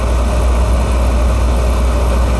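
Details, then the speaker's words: Carlin oil burner with running issues, after a change: steady, even low rumble with no surging or pulsing; now firing much smoother and running clean without smoke. "it definitely sound something better huh L smoother lot smoother"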